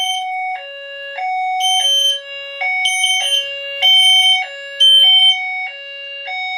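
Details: Notifier NFS2-640 fire alarm system test: after pulling a JCI JBG12LX pull station, System Sensor notification appliances sound a 3000 Hz two-tone alarm alternating about every half second with shrill chirps, working properly.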